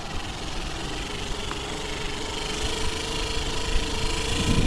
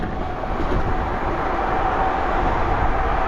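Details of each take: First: Bafang BBS02 mid-drive motor converted from 48V to 72V, during a ride: rough, droning grind with an uneven beat under the motor hum, caused by magnets coming loose off the rotor. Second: BBS02 mid-drive e-bike motor after 72V damage and rotor repair, set to 2000 W max, riding in first gear around 22 mph: faint steady whine over rolling and wind noise, sounds like a healthy mid-drive pulling evenly.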